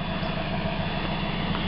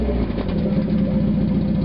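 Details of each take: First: 1991 Mazda Miata after a new catalytic converter was fitted: steady, even low idle with a smooth exhaust note and no knocks, rattles or misses; sounds much better, power restored. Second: 1991 Mazda Miata 1.6 litre, catalytic converter removed, running straight pipe: raspy loud idle, then quick sharp revs that rise and drop fast with a harsh blare; sounds bad but revs up much quicker and runs smoother without the converter's back pressure.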